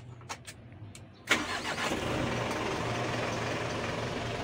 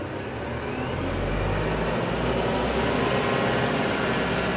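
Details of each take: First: Mitsubishi Canter Euro 4 diesel truck with a complaint of RPM rising by itself without pressing the pedal: the starter cranks briefly, then the engine catches cleanly and settles into a steady, even idle at about 750–800 rpm; a normal start. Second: Mitsubishi Canter Euro 4 diesel truck: turning the cab idle-adjust knob, which acts like a potentiometer (variable resistor), raises idle rpm smoothly to a higher steady speed without pressing the accelerator, then it eases back down.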